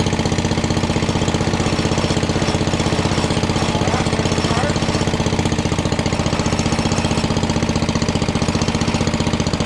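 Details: 1961 International Cub Cadet Original, 7 hp Kohler single-cylinder, first start-up after sitting, throttle all the way down, choked to start, now running with no choke: steady, even idle thumping about four beats a second, no misses or knocks; sounds healthy.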